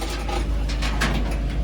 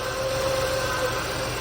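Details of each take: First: Chevy Lumina Euro, about 30 years old and sitting since 2014, just jump-started and revved. It gives a low, steady rumble with some clatter but no knock or misfire, so it runs healthy; the oil is dirty but the right colour. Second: Chevy Lumina Euro 3.1 V6, started by jump after sitting about ten years: thin steady whine over the idle rumble, water pump or alternator pulley first suspected, most likely the power steering pump low on fluid.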